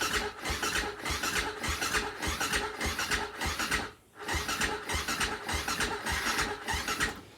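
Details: Husaberg FE450 that didn't run, after valve adjustment, choke out, starting fluid sprayed in: steady starter chug about a hundred pulses a minute, brief pause, more cranking that never catches; cranks but won't fire.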